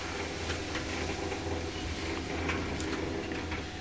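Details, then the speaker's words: Rescued, untested Whirlpool electric clothes dryer of unknown history, drum spun by hand: soft steady rolling whir, no scraping, squeal or thumping; drum runs freely and glides better than the owner's older dryer. "compared to that one when i first got it feels mostly better it glides a lot better"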